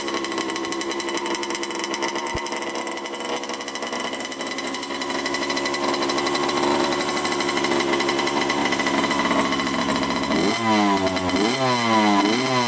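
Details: 1987 Honda CR80 two-stroke dirt bike, after mixture and carb adjustment: fast, busy buzz above normal tickover, then a few quick blips; idle too high, owner suspects a missing line from the carburetor.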